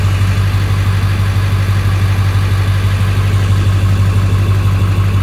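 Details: 1999 Ford F-250 Super Duty XLT, 7.3L Power Stroke turbo diesel, 83k miles, 6-speed manual 4x4, just after a cold start: deep, steady diesel clatter at an even idle with no misses, knocks or surges; normal healthy cold idle.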